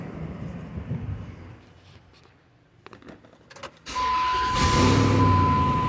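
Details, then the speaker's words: 2005 Dodge Ram 1500 with catalytic converters removed for straight pipes, after sealing the leaking pipe joints with exhaust repair putty: the engine cranks, catches and settles into a steady loud idle with no puffing or ticking at the joints. "Crazy as it might sound, it has sealed them up."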